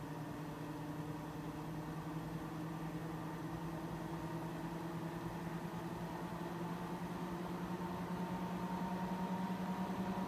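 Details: Mac Pro 1,1/2,1 with 48GB using 8GB DIMMs under benchmark: even fan rush with low hum rising in pitch, fans about double usual speed, temperatures a few degrees cooler.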